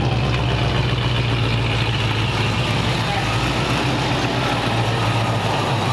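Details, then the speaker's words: 1929 Ford Roadster Pickup, formerly straight-piped, after a new full exhaust with small glass-pack mufflers: deep, even exhaust rumble at idle held steady for several seconds, no misfires or rasp, much quieter than before; normal idle. "Sounds pretty good. Rev it up a little bit, Steve. See what it sounds like. Nice. Nice and mellow. Yeah. Super quiet compared to before."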